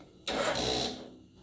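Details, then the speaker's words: 2007 Kawasaki KLR 650 cranked with the starter relay bypassed through a wired switch set to on. Starter turns the engine over about a second in a strained, uneven burst, then stops. Slow cranking; owner suspects a weak battery, not confirmed. "does see it turns I think my I might still have some issues with the battery"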